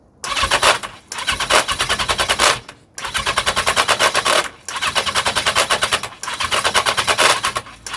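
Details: 1982 Yamaha XJ750, cold, fuel reaching carbs, won't fire even with starting fluid: four bursts of rattly cranking with metallic chatter on the starter and no firing; starter clutch rattle.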